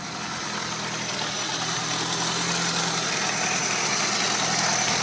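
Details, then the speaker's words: VW truck engine with pulley-driven supercharger and extra fuel from old Volvo turbo injectors and warm-up regulator, started and idling: steady, even idle with bright high blower whine over smooth low rumble, no knocks or misses; normal idle. "I'm going to go ahead and start it and so you can hear it run"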